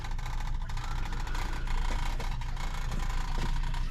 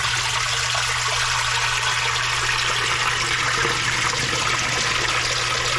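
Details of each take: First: Commercial sewage ejector pump with float, serving bathrooms, toilets backing up: deep steady rumbling drone with uneven swirling churn as the pump labours against a clog, reverberating through the building. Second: Commercial sewage ejector pump after repair, rotted galvanized pipe replaced with PVC and Fernco couplings: water swirls and drains over a steady, even low motor hum; normal float-triggered cycle.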